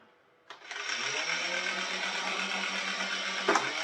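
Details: Nerf Blaster Scooter motor tested on batteries after its jammed mechanism was freed with isopropyl alcohol and contact cleaner: spins up quickly to a steady high buzz, even pitch, brief clatter; runs normally.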